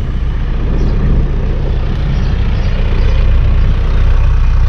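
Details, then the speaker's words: 1991 Toyota LiteAce 4x4 Limited turbo diesel, right-hand drive: low, even diesel clatter holding a steady beat with no stumbles or surges and no black smoke; idles smoothly and healthily. "no black smoke nothing all right guys i think that's going to be it for this one it's not too much to look at it runs everything well"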